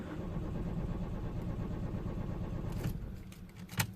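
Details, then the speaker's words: 2004 Citroen C4 1.4 petrol (KFU) non-runner, jump-started after a flat battery, codes P0201–P0204 and P0443 open circuits: starter cranks steadily and evenly under three seconds but never fires; crank no-start. "so it's not starting now as you can see I've been told something about fuel pressure"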